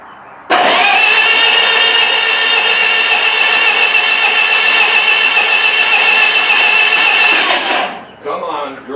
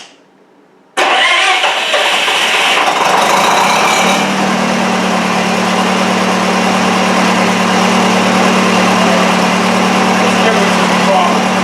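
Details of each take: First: Miller Wildcat 350D diesel engine welder, auction buy previously inoperable, cranked on a bigger loader-tractor battery; seven seconds of steady starter whine with some smoke and popping but no catch; cranks but will not start, fuel supply being checked. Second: Miller Wildcat 350D diesel engine welder bought non-running at auction, running on old diesel fuel. It catches after a short crank and settles into a smooth, steady diesel hum; the engine runs well.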